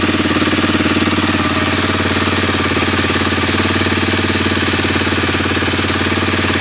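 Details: Suzuki DR-Z 250 K9 single-cylinder running with a fast, steady, evenly spaced metallic knock; bad internal engine noise, cause not yet pinned down.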